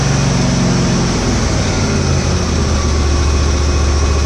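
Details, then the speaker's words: Husqvarna GT52XLSi lawn tractor, 24hp Briggs & Stratton, after replacing the carburetor jet O-rings, not fully warm: a steady, even fast idle with a smooth low drone and no rising or falling revs; runs perfect now. "purrs like a kitten real fast it's not really warm you nice place okay I don't know if you can hear me talking through that but it's uh it runs perfect now"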